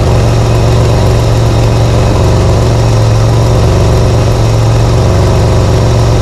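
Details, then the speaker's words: Holden VL Commodore on first drive after cam/ignition timing adjustment and new extractors, cat and cat-back exhaust: deep, steady, heavy rumble; exhaust far too loud. "first drive jeez that's loud"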